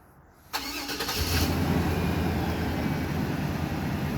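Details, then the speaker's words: 1995 Cadillac Fleetwood after replacing the failing fuel pump (cause of hard starting), fuel pressure regulator and filter: brief crank, then it fires on the first key turn and settles into a steady, even idle. A normal start. "Just like that. It's exactly how it's supposed to start up. And that's exactly the way it used to start up many years ago."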